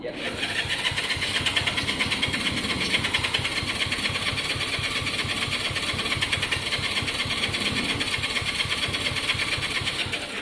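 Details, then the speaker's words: Honda CB200 on a very cheap basic battery. The starter churns laboriously for about ten seconds without a single firing. The battery is too weak and it needs a good battery. Slow cranking, no start. "Nah, it needs a good battery, which is fine."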